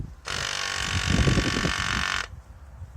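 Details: Audi A4 cruise control vacuum pump tested via relay: steady high-pitched electric buzz for about two seconds, stopping cleanly. Normal pump operation.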